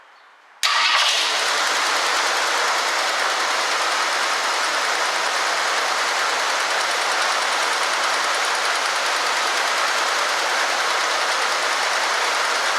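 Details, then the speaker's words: 1965 Ford Galaxie 500 two-door hardtop project car, started straight off the fuel pump; owner suspects a fuel restriction from the tank. It catches right away and runs steady and even with no stumbling or hunting: normal running. "I started the car off of this off the fuel pump and is running just fine"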